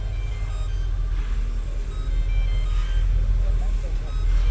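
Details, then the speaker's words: Porsche air suspension low, compressor blowing fuses: with engine running, repeated short high beeps as a power probe supply set to trip at 40 amps cuts out on compressor overcurrent. "So just to confirm the fault, we can hear that beeping when it trips."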